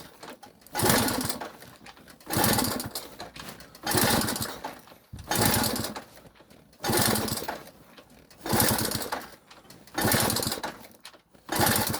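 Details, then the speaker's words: Delta moped, cold start on old petrol: seven or eight cranking bursts die away without catching; won't fire; plug found slightly sooted, owner suspects fuel not reaching the engine or a leaky fuel line. "А так поки що поки щось воно не дуже заводиться. Може газку трохи підкрутиться. Це же його не хоче."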